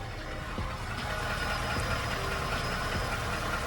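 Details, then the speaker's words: 2020 Ford F-150, 5.0L, 4WD, 10-speed, with check engine light on: uneven idle with a faint irregular tap a few times a second. Miss or knock, possibly a dead cylinder; cause unknown. "one problem this thing has check engine light on and uh it has a little bit of a hit right now or a knock or a Miss I'm not exactly sure what that noise is"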